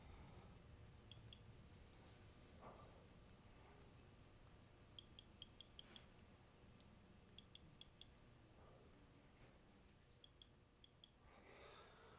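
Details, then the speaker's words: Milltronics Partner IV milling machine limit switches being refitted with springs and adjustment screws: sharp little clicks in small clusters over a quiet hum; switch actuates cleanly with only slight movement. "So, we're going to try to get them on one at a time here. Doesn't take much movement to actuate it."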